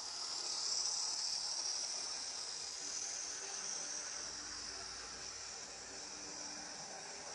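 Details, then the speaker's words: Second-hand Lima Class 73 (73108) model locomotive after its wheels and top were cleaned, not yet oiled. A faint, steady high-pitched motor buzz without stutters or surges; it runs noticeably better and normally. "yeah but she does seem to be a fair bit better have a listen"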